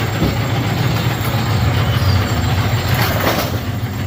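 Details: Bowling pinsetter test run after checking report of number 5 pin falling through the turret center chute; steady low rumble with loose uneven clatter, no odd knocks or squeals; normal cycle.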